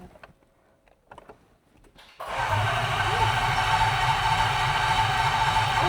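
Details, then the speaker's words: Range Rover L405 Autobiography 5.0 V8, first start attempt after an engine rebuild for timing chain failure: steady starter churn at about 3.5 beats per second, cranking without catching; no start, cause not yet known, codes to be checked. "Oh, the flywheel. We have a crank. Okay, so this is a crank."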